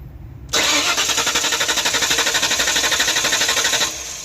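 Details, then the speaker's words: Mystery project car, broken down; power confirmed reaching the ignition coil: starter whirs steadily about four beats a second with no fire, crank no start; coil not firing, no spark, and a new coil made it start. "But we're still we're getting power into the coil. I don't think the coil is firing."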